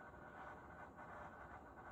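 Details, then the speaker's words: Levoit EverestAir air purifier bought 3/1/2024, switched off with vanes closed and no airflow, still gives a faint steady wavering hiss-like hum that only stops when unplugged; other units don't do this; noise while switched off. "But notice the noise continues. The only way the noise can be stopped is to remove the unit plug, which I'll do right here."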